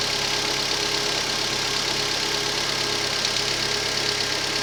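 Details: Rover 25 1.4 petrol idling steadily with faint, occasional stumbles; slight idle misfire traced to a faulty lambda (O2) sensor, fixed by fitting a used replacement sensor.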